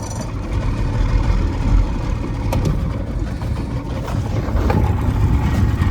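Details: Boat outboard run on the water for first time after sitting in a barn for years: low, steady burbling rumble with no knocks or misses, holding an even idle; running fine.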